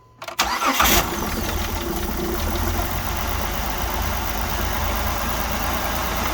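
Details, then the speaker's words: 2009 Dodge Journey, first start after spark plug and coil replacement: short crank, catches cleanly and settles into a smooth, steady idle with no stumble or misfire. "That first initial fire up. So, not looking too bad here."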